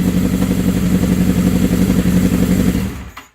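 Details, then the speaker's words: 1979 Suzuki GS750 four-cylinder with rebuilt carbs, first run in over a year: crisp, even revving over a steady low drone with clean throttle response before shutoff; healthy engine running strong. "That's the best she's had in years, man. Woohoo! Sounded like a little bit better what she was."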